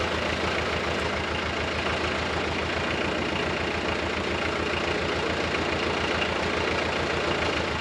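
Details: Nissan SD22 2.2L 4-cylinder diesel (80s) swapped into an Oliver OC-3 crawler loader with half a 720 pickup transmission, freshly started and run without coolant: low, even diesel clatter at slow idle, steady firing, no misses or knocks; healthy.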